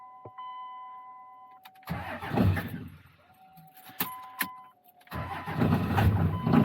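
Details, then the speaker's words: 2000 Dodge 2500 with 191,000 miles and an intermittent no-start complaint, in cold weather: the starter cranks in two bursts before the engine catches; injector bleed-down is suspected. "Okay, well, sounds like maybe we have a little bit of an injector bleed down."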